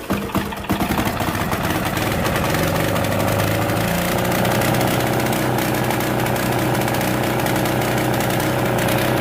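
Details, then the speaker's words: 10 hp Yanmar 186F-clone single-cylinder diesel salvaged from a generator, stored about two years, cold start with compression relief and fuel fully on: sharp cranking knocks, then catches and runs a steady, even hard clatter at wide-open throttle; healthy start. "I've got the fuel all the way on so this thing's gonna crank up it's gonna go wide open"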